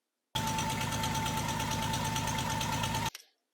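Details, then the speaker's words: Chevy 229 V6 in an El Camino, idling: thin steady high hiss over the engine note from a leaking transmission vacuum hose; plugging the hose stopped the sound. "and it turns out it was this and I plug this I quit making that sound I found it"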